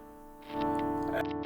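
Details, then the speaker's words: Electric guitar (master tone and blend controls, bridge/middle/neck pickups) checked through its controls: a ringing chord cut by brief intermittent scratchy crackles as the volume knob turns, a worn volume pot that must be replaced. "and you can hear it sort of intermittently scratching in there that's got to be replaced"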